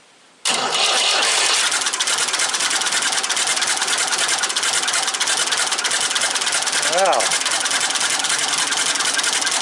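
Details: Ford 550 TLB tractor-loader-backhoe, 3-cylinder diesel, first start after reassembly and bleeding the injectors while cranking: after silence it catches at once and settles into an even, steady clatter with no misfire; normal start and idle.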